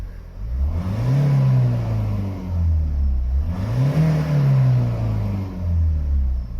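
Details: 2017 Ford Mondeo 2.0 TDCi diesel after replacing the faulty oil pressure switch behind limp mode, and the filter: two smooth rev rises and falls, no hesitation or cutting out.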